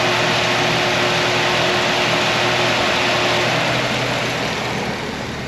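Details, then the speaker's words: 1955 Chevy truck with LS swap, first runs after 10 years: the electric cooling fan kicks on at 223 degrees over a smooth idle with steady rushing air and no rubbing or wobble, runs about 36 seconds, dropping to 210-214; normal fan operation. "so we're 223 it should be kicking back on just about any time now we're looking at this number right there so there's the fan kicking on"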